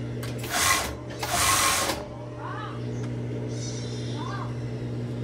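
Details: Overlock sewing machine that won't get power straight away at switch-on and dies when the pedal is pressed fast: two short whirring bursts cutting off abruptly; seldom used, old thickened oil makes it stick and stall, fix is replacing the oil.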